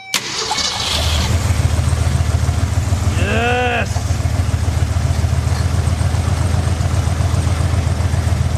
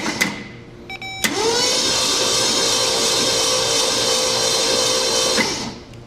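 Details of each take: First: 1966 Mercury Montclair, believed 23,000 miles, first start after 20 years, fuel line off the carb into a bottle: a low, slightly uneven, loping idle. Misfire, running on six cylinders because two spark plugs are broken. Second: 1966 Mercury Montclair, believed 23,000 original miles, not run in 20 years, cranked by jumping the starter terminal with all plugs out: a fast, even whir for about four seconds with no knocks or grinding. Normal cranking.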